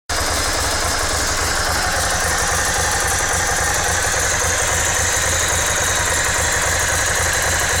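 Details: S2R 1000 twin idling with a busy, uneven mechanical clatter riding over the beat, louder than it should be; source not pinned down, abnormal engine noise at idle.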